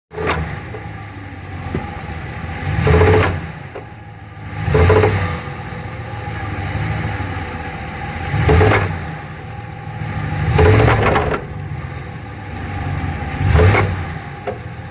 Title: 2015 ram 1500 transfer case noise